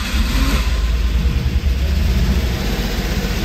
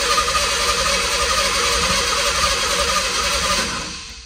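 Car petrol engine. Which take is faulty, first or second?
second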